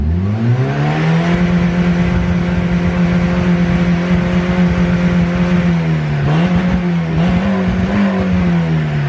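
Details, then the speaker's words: Old Miata, warmed up after about 10 minutes: revs climb, then hang and stumble around 5,500 rpm as if hitting a rev limiter. A timing light showed the ignition timing badly out of adjustment. "something interesting I don't know exactly what's going on but at around 5,500 RPMs it acts like it's hitting a rev limiter"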